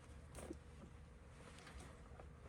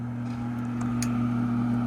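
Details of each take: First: Old gas furnace not firing, board showing three blinks: a few sharp irregular relay clicks on the control board, no inducer motor spinning up, possibly no power at inducer; control board fault suspected, not confirmed. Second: 2009 Trane gas furnace on a no-heat call: the inducer motor spins up to a steady low hum with a light click partway in, running smoothly. The tech hopes the pressure switch isn't at fault.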